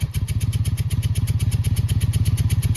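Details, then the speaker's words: Yard-sale Honda Magna VF700 motorcycle just started after carb work, warming up cold with no choke: a quick, even thudding beat of about 13 pulses a second, firm and steady. It holds idle fine without choke. "Might need to add a little choke, possibly. Possibly. That's okay, it sounds like it's starting to pick up a little."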